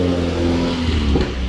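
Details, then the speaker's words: Mazda MX-5 Miata with new aftermarket headers and muffler-shop exhaust with Magnaflow: engine revs hard with rising drone that flares without matching pickup; owner suspects slipping clutch needing replacement. "it needs a clutch that's why it sounds like it's slipping"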